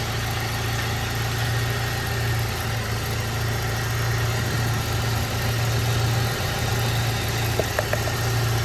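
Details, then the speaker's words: BMW E36 Compact, M4x four-cylinder, about 100,085 original miles, idling with check engine light back on; all cylinders confirmed getting spark and fuel; steady low idle with slightly uneven, lumpy pulse, no knock; rough idle; owner suspects cracked M44 intake boot, possibly original exhaust. "Okay, so they all have spark. They're all getting spark, they're all getting fuel. I really think it's this [ __ ] intake boot that's really killing me right now."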